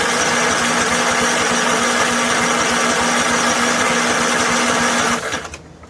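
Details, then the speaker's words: Snapper SR1433 rear-engine rider, sat 8 years, old fuel in tank, gravity feed, full choke: steady loud starter churn about five seconds without catching; cranks but carburetor gets no fuel. "Come on, pick up and run there, buddy. Trying to figure out why it's not getting fuel in the carburetor."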